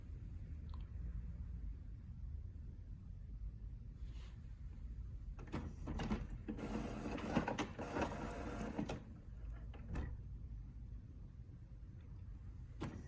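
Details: HP OfficeJet Pro 8100 printer, level 1 head cleaning (power held, X twice, paper once), used when print colour is abnormal; button blinks until done: soft whirring carriage moves and clicky motor bursts; normal printhead cleaning cycle.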